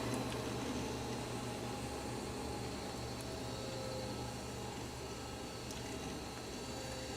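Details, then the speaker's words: Toshiba Tecra 8000 laptop during a slow boot: a steady whirring hiss with faint scattered ticks over the fan from a really noisy hard drive. "see you can hear that really noisy hard drive hello this is taking quite a bit of time to load of course at least I think it's doing something hasn't locked up yet like it usually does"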